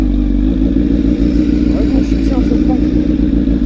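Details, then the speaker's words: Honda CBR1000RR with undertail exhaust, noticed sounding wrong while riding and getting worse: uneven, chuffing low rumble with raspy popping at idle, louder and harsher than stock; the top of the muffler was found blown out, an exhaust leak. "I'm starting to notice the bikes have it a little it sounded a little funny and since I get a little weird but it's clearly not sounding right so I'm not sure what the hell is going on"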